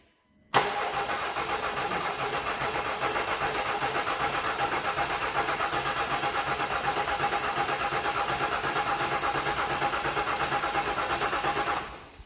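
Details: Range Rover Sport 3.0 TDV6 diesel, first start after engine rebuild: starter cranks steadily about eleven seconds with even compression pulses, roughly three a second, never fires; fuel system then bled further; cause unconfirmed.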